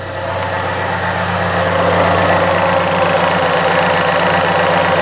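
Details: 1998 Fiat Cinquecento cold idle after new radiator, coolant topped up, thermostat not yet open, heater on with fan: even idle, light mechanical hum, heater fan whoosh, no knocks or misses; healthy.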